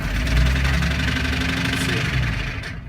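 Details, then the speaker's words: 1998 Jeep Wrangler TJ, five-speed manual, petrol engine idling roughly with a loud low uneven knock about four times a second beneath the rumble. "you'll hear that real cloud knocking"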